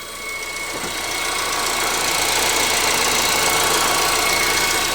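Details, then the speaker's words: 2015 Honda Civic 1.8, 73,000 miles, Texas car, during an oil change about 2,000 miles after the last one: steady even idle with a soft regular injector tick about three per second, no knock or misfire; no leaks and the engine sounds really good. "but we do have it running here no leaks and engine sounds really really good"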